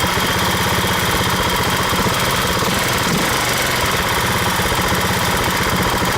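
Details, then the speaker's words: 150cc scooter with the idle screw turned way up after stalling: quick, steady firing beat well above normal idle with no throttle, rear wheel spinning; high idle from a vacuum leak. "every time I just the idle all of a sudden it goes up like crazy so it has the symptoms of a vacuum leak but so far I haven't been able to find the vacuum leak"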